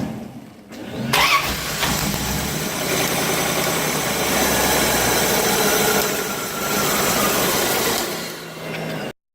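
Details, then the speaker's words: 1994 Chevrolet Corvette 5.7 V8 with a crank-no-start; earlier it started but lacked power on acceleration. A long, steady cranking churn never catches because the spark is cutting out. Distributor signals are to be checked next. "It is a crank no start right now, but before it was starting and just lack of power on acceleration. We're gonna start with the basic here, spark, fuel, and we'll see how it moves along the diagnostic on this. You can see the spark is cutting out."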